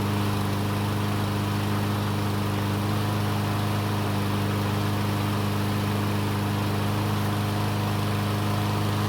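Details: Troy-Bilt mower that wouldn't start after winter storage, now repaired: small single-cylinder engine runs at a steady even pace with no misses or surging; normal running, though it began burning oil after about 20 seconds, likely from being tilted.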